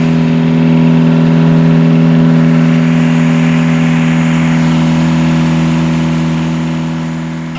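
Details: Catamaran diesel genset re-run on the bench after fixing two swapped controller wires that had caused wide-open throttle and shutdown; steady even drone, smooth regular beat, no knocks or misses: normal running.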